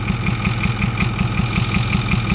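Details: 2010 Ford F350 6.4 Power Stroke diesel with check engine light: sharp regular popping and clatter about six per second over idle; mechanic suspects a broken rocker hold-down letting a valve bridge fall over, not confirmed.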